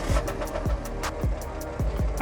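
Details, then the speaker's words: Car at an auction inspection, right after start-up; idle stumbles with uneven, randomly spaced heavy thumps instead of a steady beat, and the whole car shakes inconsistently; rough, misfiring-sounding idle. "oh what was that it's stumbling a lot um it's see you probably can't i guess you can't feel it but the whole car is shaking"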